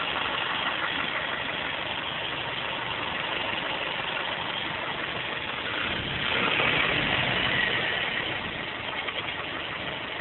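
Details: Mazda 3 1.6 Z6 petrol engine idling, no hydraulic lifters (valve clearances set by shim selection every 120,000 km): fast fairly even light tick about four per second over the hum, sounding like top-end valve tick; cause unconfirmed.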